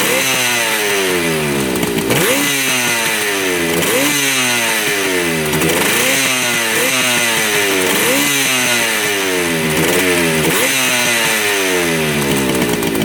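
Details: 1975 Yamaha RD200 two-stroke twin, first start after 20+ years in a barn, 40:1 premix: revs rise and fall about every two seconds, picking up cleanly on both cylinders, both hot; running healthy.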